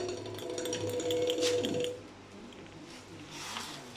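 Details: Ebike kit motor with a new controller: a short whine with an uneven rough chatter as it turns slowly, grinding at low revs, cause unknown.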